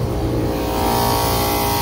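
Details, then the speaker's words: Kitchen AC condenser with two compressors, on a day over 100°F outside: the first-stage compressor is very loud with a heavy drone and deep shaking rumble, vibrating so hard the refrigeration probes keep coming off. It is still pumping but reads low on charge, with high superheat and low subcooling. Low oil or refrigerant suspected. "so this uh first stage compressor is vibrating so bad but it's pumping so i might try to put some oil in it but we're definitely looking low but it's vibrating so bad the the refrigeration probes keep coming off"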